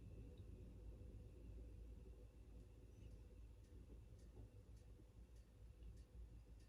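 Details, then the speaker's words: Amana washer model NTW4516FW1 in diagnostic mode, final spin: quiet, steady low rumble of drum spinning at speed, no grinding or knocking or shaking; shocks probably fine, transmission and belt fine, normal spin. "Not shaking anywhere or going crazy, so we know the shocks are probably just fine. Transmission sounds good. And spinning, so we know the belt's not broken."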